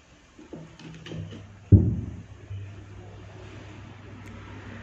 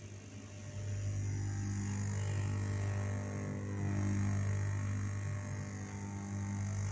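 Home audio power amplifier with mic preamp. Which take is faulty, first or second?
second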